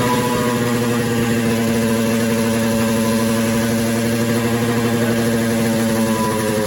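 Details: 1979 Yamaha RX 125 two-stroke cafe racer build: steady, fast idle that never settles, holding a high even buzz. Idle is too high; it smells of fuel, and a carburetor clean and oil change are planned. Cause suspected, not confirmed.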